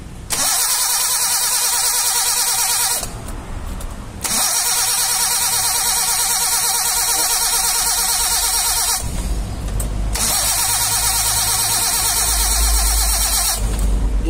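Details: Suzuki Carry 1.0 that died suddenly on the road: three bursts of steady starter cranking, each a few seconds, and the engine never catches; spark is present but weak, with a torn plug lead found.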